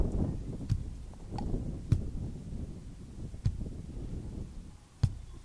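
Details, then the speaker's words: Ferrari cambelt worn by age and mileage, plucked by hand with a microphone and gain turned up. Single plucks about a second apart, each a dull, very low bass thud, meaning the belt is too loose; this is a tension test. "it's a very very low bass note isn't it but um that is too loose let's go again"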